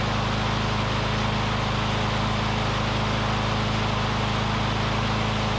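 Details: Curbside Briggs & Stratton Classic push mower engine running on its own fuel, oil sizzling off the back of the muffler. It holds a steady, even single-cylinder drone with no surging or misfire, a smooth runner: normal running.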